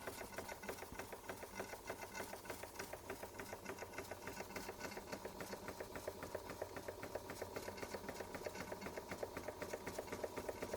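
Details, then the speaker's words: Bing 130 382 Poppit model steam engine, recently modified, just lit and warming up. Fast, even chuffing at about four beats a second with a light metallic tick, holding a steady pace. Runs well; normal steady running. "Yeah, it runs well."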